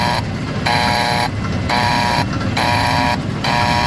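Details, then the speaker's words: Brunswick A2 pinsetter, recently replaced cycle solenoid; machine fails to cycle on first ball but cycles on second. Tripping the ball detect, the solenoid plunger moves with a repeated harsh, chattery electrical buzz over machinery hum, not pulling in cleanly; abnormal solenoid buzz. "Can you hear it? Yeah, it doesn't sound very good."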